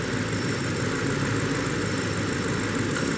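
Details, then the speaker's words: 2005 BMW 645Ci 4.4 L V8, customer replaced plugs and coils but cylinder 6 keeps setting check engine light above 2,000 rpm; steady idle with faintly uneven lumpy beat coming and going, scope shows high secondary ignition; intermittent ignition coil misfire. "Boom. High secondary ignition. It's coming and going."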